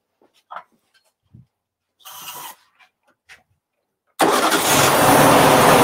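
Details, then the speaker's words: 1957 BMW Isetta fitted with a replacement freebie engine after the original locked up: quiet handling noises, then the engine catches and settles into an even, steady run with no knocks or misses; normal running. "we cranked her up so she does run and the story that we were told on is pretty accurate it sounds pretty good"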